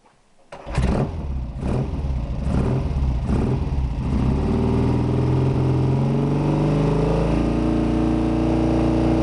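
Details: After fitting new clutch and alternator, testing charging: brief cranking churn, then engine catches, revs and settles into a steady, even idle with no knocking or grinding; started normally.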